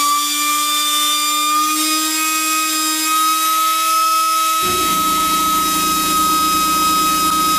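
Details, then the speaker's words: Power-Fist pneumatic die grinder, tank at 90 PSI: a high whine climbs on spin-up, then turns rough and buzzy through one speed band, a harmonic speed wobble. "he you can hear it coming up to speed there's a there's a real spot where the harmonics kicking and it it it's a speed wobble there"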